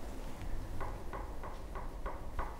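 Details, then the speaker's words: Harrison HS223 mill vertical head, close up after loosening the overtight bevel while adjusting spindle taper bearing preload: small crisp clicks about three per second as the head is rocked; light, even bevel play, correct clearance. "see if you can hear this this little click is the clearance on the bevel in"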